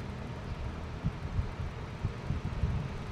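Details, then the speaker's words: Junkshop electric fan reconditioned by cleaning and oiling, running on speed 2: low, soft, even hum with only faint bumps and no rattle or squeal; earlier noise gone, running quietly. "Ito ay naka number 2. Ayun. Gumana mga gawiks ng tahimik."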